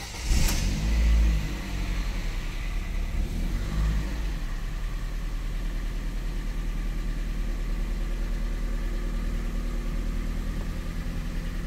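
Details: Ford Fiesta on a cold start after the worn throttle position sensor contacts in the throttle body were cleaned and adjusted (TPS2 still slightly wobbly): brief flare, then a steady, slightly fast cold idle with no surging.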